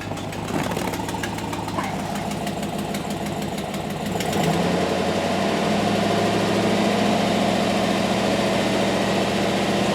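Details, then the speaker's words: 2007 GMC Yukon 5.3 V8 at first start after oil priming, idling: quick regular ticking puff over the exhaust note from an exhaust leak; otherwise smooth. "This thing sounds good, except that exhaust leak."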